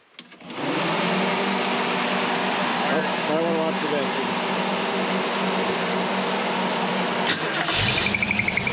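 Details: 1979 Mercury Capri with 351 Cleveland V8, after freeing a stuck distributor and retiming to about 10° initial (about 32° all in); it had been starting hard when hot: catches after a short crank, settles into a steady even idle with no misses or knocks.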